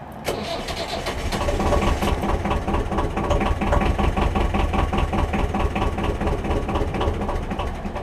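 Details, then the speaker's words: BMC 1.5 diesel in a narrowboat, glow plug replacement job, glow plugs primed 60+ s: starter churning with labored uneven compression beats, catching weakly but not running; hard starting that happens every start, cause unconfirmed. "can hear she's catching but not quite starting. I'll try again. And this happens every time I start the engine."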